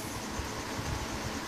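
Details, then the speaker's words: Holmes three-motor window fan after servicing and lubricating the seized motor bearings, blades refitted, bench test: steady, even air rush with soft low hum, no ticking or scraping, and motors spin down freely; much better than before. "let's see how quickly they all spin down didn't take one before yeah much better now"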